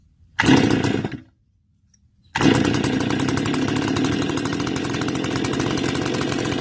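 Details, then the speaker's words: Stihl FS 280 brush cutter, won't stay running cold or start hot, after muffler modification, clean air filter, spark confirmed, no air leak: fires briefly under a second, dies into silence, then catches again; stalls after starting. "thank you so you see it shuts down now we know we're getting spark and we have already done the muffler modification removing any restriction that could possibly build up in there"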